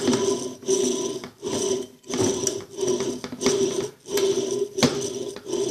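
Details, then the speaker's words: Electrolux Turbo Limpeza washing machine while washing: rhythmic rattling thumps about every second and a half as the drum agitates; worn motor bearing under the pulley, overloaded by belt tension, knocking against the housing. "ali dentro está o rolamento que está fazendo esse barulho"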